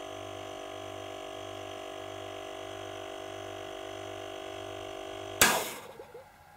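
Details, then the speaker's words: Werther Sil-Air 15D silent airbrush compressor, refrigerator-type oil pump with 4-litre tank: steady low hum and even whine, then at about 90 psi cut-out a sharp muffled bang and fading hiss. Air-release burst at shut-off, now through an epoxy-sealed suppressor tube, no longer high-pitched. "so still gives a bit of a bang with least it's not that high-pitched sound"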